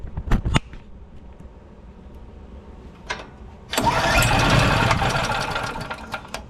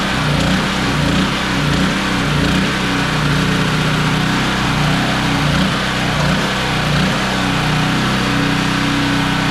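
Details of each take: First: Generac GP3250 generator, unused a couple years, tank found dry, oil in intake, choke on: a few recoil pulls, catches roughly for seconds then fades; hard start, fires then dies from fuel starvation, gummed carburetor. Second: Generac GP3250 generator, unused for a couple years, after ultrasonic carburetor cleaning: steady even drone, no surging or hunting, runs smoothly; fuel seen leaking from petcock, to be replaced – normal running.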